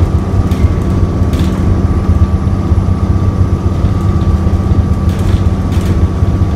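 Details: Go-Ahead London ADL Enviro 400 double-decker bus (E93, LX57CLY, new 11/2007) with ZF Ecomat gearbox, seemingly stuck in limp mode: diesel drones hard at steady high revs while the bus barely gains speed, crawling on the road.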